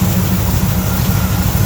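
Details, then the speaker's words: 1978 Jeep J10/J20 V8 after replacing both blown header gaskets that caused exhaust popping: a deep, even idle with a steady rumble and no ticking or popping. Running healthy. "there it is no more popping no more exhaust sounds good"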